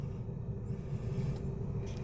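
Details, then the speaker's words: Toyota Vios running after a no-crank, no-start fault traced to the starter: steady low rumble, no stumbling, knocking or grinding; smooth healthy idle. "So ayan guys, umaandar na siya."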